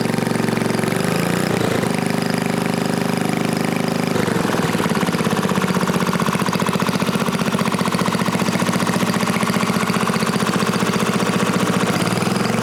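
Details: New-old-stock Briggs & Stratton 5HP dual-shaft aluminum-bore engine, rebuilt, after fixing a no-start caused by the throttle plate closing fully and idle speed set too low; catches after a few coughs, then settles into a fast, steady, even beat with no knocks or misses.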